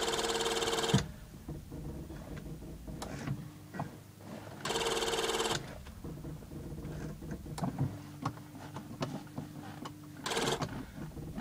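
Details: Ford EF with no-start: repeated starter whirring bursts with clatter between, engine never catches; cause unclear.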